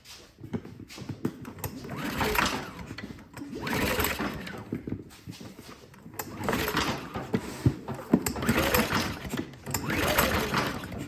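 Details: Predator 2000 inverter generator running again after pushrods had come off the rocker arms and valve lash was readjusted; valve cover and air breather still off. Fast, light valve clatter, engine swelling and easing every couple of seconds; healthy running.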